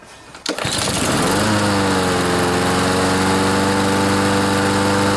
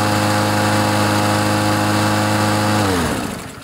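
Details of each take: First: Troy-Bilt TB130 mower, 2–3 years old, with a Honda engine, after water-contaminated gas was found and the fuel system and carb float bowl were cleaned. It now starts but settles into a steady low drone and won't rev up. A slack governor spring is to be tightened with pliers. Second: Troy-Bilt TB130 mower with a Honda engine, after clearing water from the fuel and tightening the governor spring so it revs higher: a steady high, even drone for about three seconds, then winds down smoothly at shutoff. Normal high idle.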